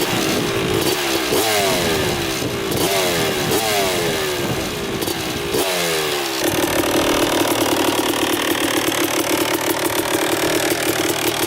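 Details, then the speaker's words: 2000 Suzuki RM250 two-stroke on first test ride after pipe fixed, carb clean, new oil, fresh gas: revs rise and fall cleanly then settle into steady ring-ding at higher speed, pulling healthily; running great, first gear noted. "all right running great so far got here in the first gear"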